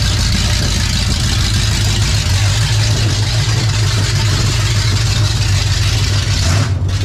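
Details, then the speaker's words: 28 Special crate 602 dirt late model race car (2023 season), big V8 idling in shop; steady even low rumble, no knocks or misses, sounds better; a leak at the rear remains, suspected gasket. Normal idle. "It's okay. That sounds better."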